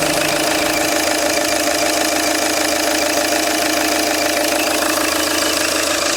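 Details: Peugeot 807 2.0 HDi 110 diesel at idle: steady idle with a sharp, regular knock around three beats a second over it; knock source not identified.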